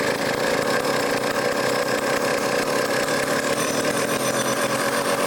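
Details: Vintage foreign chainsaw after carburetor work, low-speed screw leaned out a little: steady, high-pitched two-stroke buzz holding an even speed with no stumbles or hunting; running clean and well tuned.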